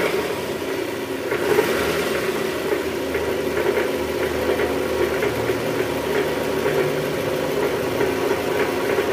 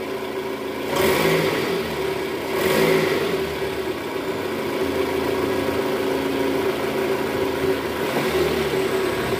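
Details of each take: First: Toyota Estima 2AZ-FE engine at first start, A/C on, in R or D: coarse, knocky sound from low in the block near the oil pan; diagnosed as a worn balancer shaft. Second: Toyota Estima 2AZ-FE after balancer shaft replacement, idling in gear, plus revs: smooth and even with no roughness; the earlier rough noise is gone.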